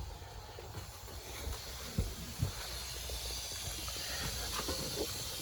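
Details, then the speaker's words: Ford F-150 with a front-left grinding noise, engine off, air blown back through the vacuum line: a soft, continuous hiss escaping at the passenger-side IWE hub actuator. The owner is unsure whether this leak is normal, perhaps due to a check valve. "Now it is leaking from here somewhere, from this is the passenger side IWE, and it's leaking from here."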